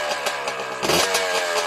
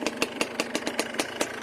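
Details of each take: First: Yamaha Blaster two-stroke ATV: several kick-start attempts before it catches, then busy, uneven idle on choke and a rev blip; hard starting because of too much throttle with choke on, fired right up once throttle was eased. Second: Yamaha Blaster two-stroke ATV, smoking that needs clearing out, with a ruined carrier bearing and worn chain (not engine): even, crisp popping at about five beats a second, no misses or knocks; normal idle.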